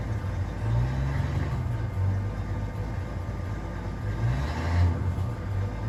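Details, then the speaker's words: 1983 Ford F-150 after a full exhaust replacement with a brand-new muffler, only clamped so far: a deep, even rumble swells smoothly with each throttle blip, with no ticking, rattles or leaks; "sounds like a whole different beast", healthy exhaust note. "[Music] sounds like a whole different Beast and"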